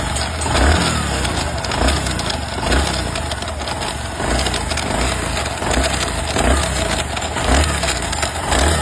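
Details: Bajaj Platina ES motorcycle, heard after running a long while: engine with a clunk-like rattle roughly once a second over the exhaust beat; intermittent noise suspected from the self-starter gear, not confirmed.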